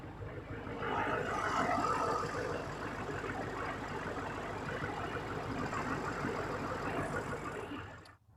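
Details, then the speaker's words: 2007 Chevrolet Silverado 2500HD LBZ Duramax after installing new heads, Mahle head gaskets and head studs, no coolant pressure, smoke or fluid loss: steady even diesel clatter at idle with no misses, knocks or surging; normal healthy idle. "everything is good to go it's actually better than it really has ever been since I've had this truck um but now I want to go ahead and uh crank it up for you so you can hear it [Music] run"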